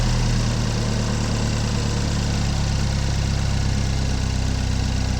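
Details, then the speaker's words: 2015 GMC Terrain with check engine light(s), mic under hood near metal: steady low idle with rough puffing exhaust edge, no knocking; exhaust leak somewhere underneath between engine and catalytic converter. "definitely got an exhaust leak somewhere underneath somewhere between the engine and the KO"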